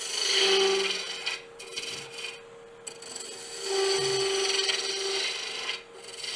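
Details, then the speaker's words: Woodturning lathe, slender finial workpiece on a glue block with tailstock support, lathe speed raised, bowl gouge cutting: steady thin whine under the tool scraping as the wood flexes and vibrates at the far end; workpiece flex vibration. "even with the tailstock, you hear that little whiny sound, that little vibration. The wood is flexing back here."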